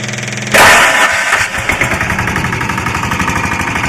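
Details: Lombardini 6LD260 air-cooled diesel driving a traffic-sign generator, cold start after sitting unused 10 years, old fuel purged and run on fresh diesel. It fires straight up into even clatter, smoking a little. Normal cold start.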